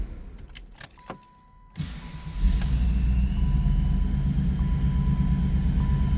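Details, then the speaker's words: 1994 Pontiac Firebird Trans Am 25th Anniversary with added Crane Fireball ignition, 17,604 miles, cold start: keys, quick crank and catch, then steady deep even idle with no knocks or squeals; normal cold start. "I think we need to fire this up. Like I said, this is a great sounding car."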